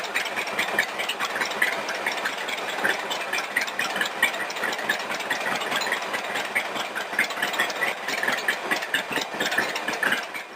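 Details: Self-built rat rod roadster, running after a fuel problem was fixed by replacing the fuel filter with a temporary plastic diesel filter: quick, even patter of valve ticks at steady pace with no misses or stumbles; clean healthy idle.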